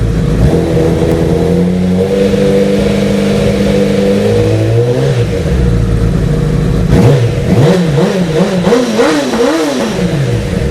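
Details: Honda CBR after cam chain tensioner replacement (it previously buzzed on the right side at 3000 rpm): engine idles steadily, then takes repeated quick throttle blips, running cleanly without buzz or rattle.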